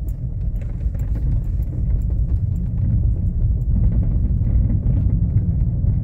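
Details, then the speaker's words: VW Polo driving over a fairly ordinary street: irregular light knocks through the road rumble, sounding like a stabilizer link or steering rack but from a worn front lower control arm ball joint. "olha o barulho que faz tão vendo dá impressão que é bieleta da impressão que é caixa de direção Mas é ele batucando e detalhe que eu nem tô numa rua ruim"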